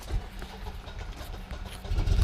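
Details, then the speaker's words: Generac 24 kW standby generator, test with utility power cut at the meter: low rumble builds and swells into a firm, steady engine note as it starts by itself; normal automatic start. "It's starting up now, so that started up."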